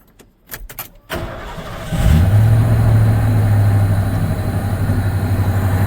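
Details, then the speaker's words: Vehicle engine after the exhaust manifold was resurfaced at home and refitted: brief cranking, then a smooth, steady low idle with the earlier ticking gone; normal idle after repair. "better. No ticking."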